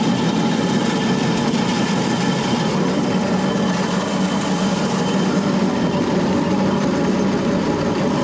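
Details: SIPMA roller grain crusher after a DIY repair welding short bead pieces onto a roller, with the gap adjusted so it grinds less fine: steady, even rumbling drone, no knocks, squeals or surging. It runs fast; rollers are perhaps tightened too much, and corn comes out nicely broken.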